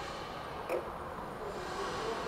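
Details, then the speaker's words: Doosan B20T 3-wheel electric forklift, electronic magnetic-spring parking brake: on accelerator input one short, soft click over a quiet hum as the brake releases, as it should; it clicks back on automatically after sitting a few seconds. "hopefully you'll be able to hear the parking brakes release you'll hear a clicking noise"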